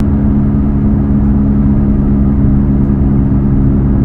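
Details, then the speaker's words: Alfa Romeo MiTo Quadrifoglio Verde heard from inside while driving: steady low droning rumble, not exhaust, from a worn rusty rear wheel bearing that likely ran dry, with slight ticking; wheel bearing rumble. "the noise that makes um and this is not exhaust noise this is this bearing making a lot of noise inside your interior"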